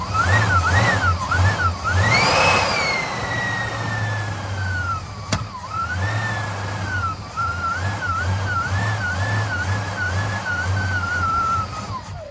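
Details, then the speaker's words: 1958 Studebaker Golden Hawk: starter churns steadily over a warbling background tone, engine never catches; has fuel but it isn't reaching the carburetor bowl. "No fuel getting to the carb because that should have primed by now."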